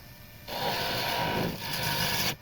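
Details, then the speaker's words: Beech dibble turning on a lathe: steady, even scraping rasp for about two seconds with no chatter; smooth cut while the workpiece is well supported, before the unsupported skinny end vibrates. "Oh, hot hot hot hot hot. Ah. Yeah, that's smooth."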